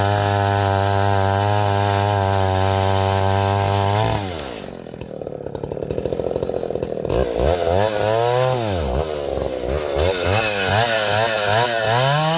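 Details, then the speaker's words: Vintage Husqvarna L65 chainsaw, freshly sharpened chain, carb slightly tuned that morning, about half a tank, bucking ash: steady high scream drops as the chain bites, then revs surge between cuts; owner unsure if normal or a tuning issue. "When you hear the RPMs kick up when the tank's almost empty, I don't know if that's the way it's supposed to be or if I can tune it."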